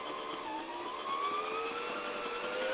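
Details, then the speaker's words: Brother SE 350 automatic bobbin winder at full speed; smooth, even high whir that climbs slightly and holds steady, no knocks. Normal bobbin winding at full speed. "There's full speed. It also has a lever where you can control the speed through the lever."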